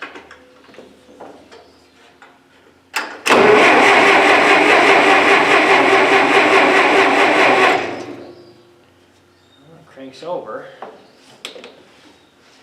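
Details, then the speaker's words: Massey Ferguson 65 tractor with weak battery: about four seconds of steady cranking, roughly two and a half beats per second, never fires; owner suspects no spark, cause not confirmed. "will not fire so there's obviously no spark try it again nope she's not gonna start guys"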